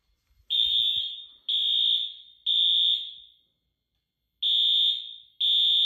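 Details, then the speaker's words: 2000s Wheelock AS/NS horns on a Fire-Lite MS-9200UDLS panel, set to temporal 3 with Wheelock sync. Loud high-pitched blasts in groups of three, about one per second, then a pause. Temporal-3 evacuation pattern. "system is on temporal 3 and it's using Wheelock sync so here we go"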